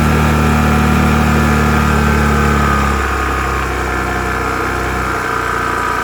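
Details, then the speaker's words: Restored Piaggio Vespa 50 LX two-stroke, just after a spark plug change: it started immediately and ticks over with a steady buzzy idle that settles slightly lower. Idle good overall; mixture may need slight adjustment. "Все, работает, свеча. Да, надо чуть-чуть поднастроить, наверное, его, может, по смеси, но в целом холостой хороший."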